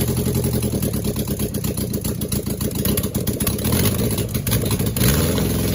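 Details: First startup on a test setup of a freshly rebuilt 2270 engine (heads, align bore, rods, balancing) after an oiling problem took out a main bearing: even, rhythmic idle pulses, no knocks or rattles, then revs climb cleanly; healthy.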